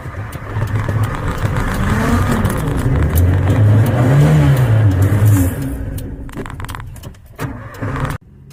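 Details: Carbureted 1994 Honda Civic started cold in the morning: the engine is held up with uneven bursts of throttle and pedal pumping, revs sag and it nearly dies; hard starting and stalling until warmed.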